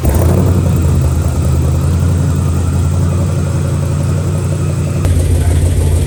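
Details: 1939 chopped Chevy hot rod with a 6.2 V8 swap, first run, oil pressure reading doubted: deep, even V8 burble at a steady speed with no knocks, misses or ticks. Normal idle.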